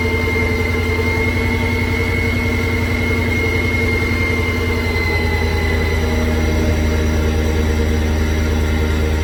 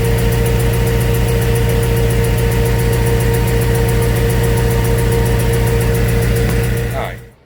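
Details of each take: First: After the ticking repair, the car idles steady and even with a smooth low drone and no ticking or misfire. The noise is fixed and the idle is nice. Normal idle. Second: Before repair, the car runs rough with an even, sharp tick about four times a second over a lumpy low idle. The tick seemed to come from under the car and was thought to be exhaust. The cause was a failed coil pack misfiring.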